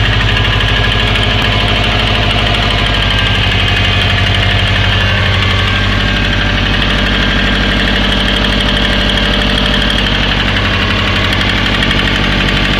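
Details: Subaru Forester SF5 with EJ20 turbo boxer (automatic and manual versions) at steady idle: hard rhythmic knock about three beats a second underneath, attributed to worn rod bearings.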